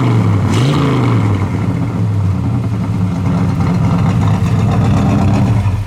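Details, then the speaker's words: 1972 Chevelle SS, 350 4-barrel V8, automatic, dual exhaust, idling about 800 rpm with 40 psi oil pressure: quick rev from idle, then deep, even V8 rumble through the dual exhaust, no knocks or misses; healthy engine. "It's got a really nice dual exhaust sound to it."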